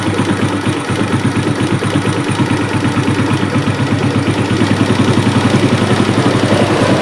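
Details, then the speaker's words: Suzuki Smash, hot, with complaints of smoke and a rough sound when hot: the single idles with an uneven pulsing beat and won't hold idle despite carburetor setting changes. The mechanic suspects a compression problem; cause not confirmed. "Nah, kalau dari setting begini tetap nggak mau stasioner, kurang lah gitu ya. Artinya ini ada faktor di kompresi."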